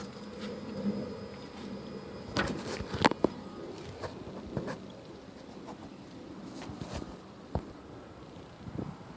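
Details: Lexus RX400h left front: sharp irregular pops and clicks over a low steady hum, persisting after new lower A-arm with bushings, complete strut assembly, sway bar end links, left tie rods and left CV shaft.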